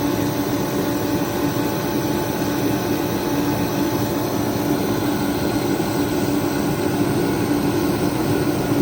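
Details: Remington 135 (REMT-135T-KFA-O) forced-air heater, previously not igniting or spraying fuel, repaired and pump pressure being set to 5 PSI; constant, even roar with steady mid tone, no sputter or surge; normal running.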